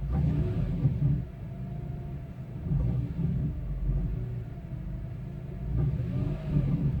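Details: 2002 BMW E46 M3: engine revving and settling with coarse low rattle in exhaust as revs drop, worse on cold start; catalytic converter element broke loose in an original header.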